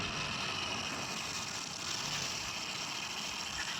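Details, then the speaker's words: Hero Honda Splendor Pro motorcycle idling: a dense, tinny rattle over the engine. "देखिए आपने सुना कितनी खड़खड़ खड़खड़ की आवाज आ रही है।"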